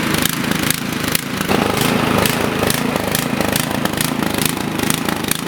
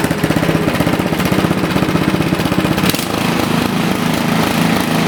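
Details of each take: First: Toro snowblower engine runs rough and choppy, its speed rising and sagging unevenly. This is surging because the carburetor runs too lean, common on brand-new machines. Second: Toro four-stroke snowblower that ran rough and surged from a too-lean carburetor, after adjusting the carburetor screw: a single-cylinder engine chugging at an even pace with no rise and fall; surging gone, running normally.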